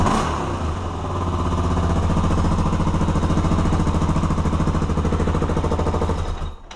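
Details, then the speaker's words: Honda 400EX after a top-end rebuild with heli-coils, warmed up and no longer smoking, given throttle blips: a crisp single-cylinder bark that climbs smoothly and settles back cleanly. Normal revving. "she's warmed up i let her run for a little while and she doesn't smoke anymore i'll give you guys a little gas"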